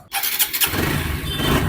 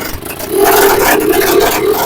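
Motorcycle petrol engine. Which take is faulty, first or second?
second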